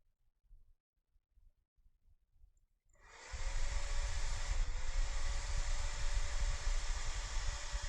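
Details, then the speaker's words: HP D16-250P1A power supply after repair (faulty big capacitor suspected), started by shorting green wire to black: quiet clicks, then fan spins up and holds a steady even hum; working properly. "And yes, it is starting."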